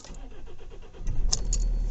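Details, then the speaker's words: Kia diesel test start after second replacement fuel filter (earlier filter suspected of drawing air) and Ford fuel line clip swap attempt: cranks in even pulses about five a second, catches within two or three cranks and runs steadily; healthy start. "started there I wouldn't say it started like immediately there but it started you know within two or three cranks"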